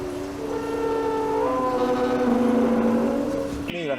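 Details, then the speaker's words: Power window squeak: steady droning groan with a squeaky edge as the rarely opened left-side car window moves, from dry glass seals/rubber channel (ยางรีด) needing lubrication. "ในเรื่องของการที่มีเสียงดังแบบนี้ขั้นแรกเลยนะครับเป็นที่ตัวศักดแน่นอนนะครับศักดกันฝุ่นหรือว่ายางรีด"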